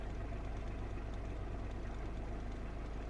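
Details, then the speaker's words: 1988 Citroen BX 19RD estate, 71bhp diesel, idling while the suspension rises: low, steady, slightly clattery tickover with no knocks or misses; normal idle. "As you can hear, it's not the most refined engine on tickover, but once you're underway it really smooths down."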